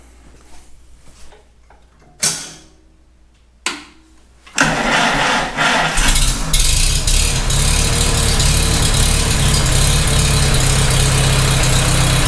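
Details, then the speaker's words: Farmall H tractor engine after rebuild: cranks, catches, then idles with a steady knock about three per second, loudest near a loose rocker; wedging it with a screwdriver did not stop it; owner suspects cylinder 3. "I hear it. It's still there. That rocker is not closing up to the block at all. That's not moving. It actually sounds the loudest right there."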